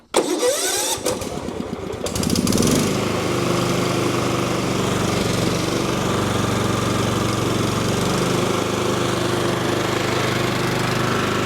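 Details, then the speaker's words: 20+ year old John Deere L110 lawn tractor, with choke after reseating the spark plug boot: cranks about two seconds, catches cleanly, settles into steady low-RPM idle with no misses; no-start was likely the unseated plug boot. "It ran great. Um, soon as I gave it some choke, it fired right up. It idled very well at a low RPM."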